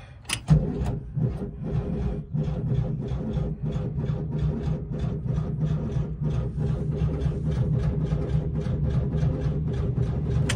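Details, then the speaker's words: 1979 Volkswagen Type 2 bus with fuel-injected engine that leaks oil and a newer battery: the starter churns with an even beat but won't fire; crank, no start, with the owner suspecting it is low on gas. "oh man that almost started okay well I'm going to go to the gas station and get some more gas for this thing maybe I can get this thing fired up"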